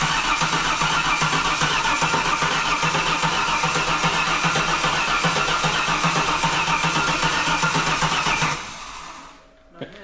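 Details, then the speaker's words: Holden VY Calais (Ecotec) after an engine swap, freshly filled with coolant and fresh oil, cranked with the crank angle sensor unplugged to build oil pressure: about eight seconds of steady, even starter cranking without firing, then a clean stop; normal cranking. "I've just unplugged the crank angle sensor because I want to crank the engine first and get a bit of oil pressure up"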